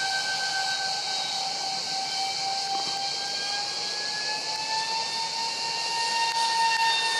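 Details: EDF jet model with 5-blade fans on 2600kv motors at 6S: loud airy hiss with a rising whistling screech from vibration, caused by cheap shaft adapters and mounting pads detached; later fixed with WeMoTec shafts and epoxied mounts.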